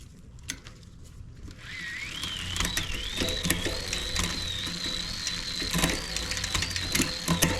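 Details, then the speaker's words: Shimano 11-speed bicycle drivetrain after derailleur, hanger and shifter cable replacement and indexing: chain spins through the gears with a light, steady whir, no grinding, occasional soft clicks. "Ooh, that's a lot better."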